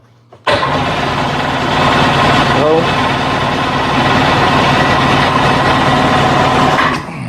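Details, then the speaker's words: 1998 Sea-Doo that won't start: about seven seconds of steady even cranking that never fires despite fuel selected and choke; fuel lines, selector and filter suspected. "so nothing really should keep it from starting up but it's not going to matter how much I pull the uh"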